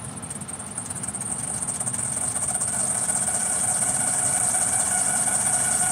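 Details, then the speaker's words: 2013 Ford F-150 3.7L idling, after recent water pump, alternator and belt replacement, coolant leak at heater hose: thin steady high-pitched whine with dry chatter from belt drive; mechanic suspects a failing pulley, source unconfirmed. Accessory belt noise. "I'm going to spray that belt. It sounds like crap. I know. Sounds like about to break."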